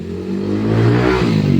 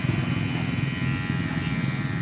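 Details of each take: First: Cordless hair clipper before repair, battery also drains quickly: a loud, coarse buzzing drone that swells and wavers, far noisier than it should be; the cause is shown but not named; excessive buzzing noise. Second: Cordless hair clipper after repair, noise now gone, though it runs weak and its fast-draining battery is to be replaced: a smooth, steady low buzz with no rattle or grinding; normal running.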